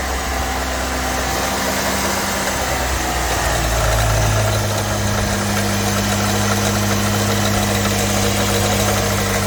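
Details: 1989 Ford Fox Body 2.3L four-cylinder convertible, 5-speed, idling after starter replacement fixed a no-start, no-crank: steady even idle hum with no misfires, knocks or surging.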